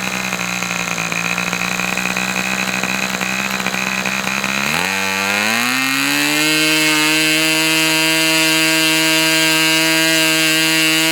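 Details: Fox twin-cylinder model engine, customer's, after low-speed needle leaned about three clicks: rough, uneven buzz climbs to a higher, steady, clean note and holds; twin now runs smoothly and evenly, a good run.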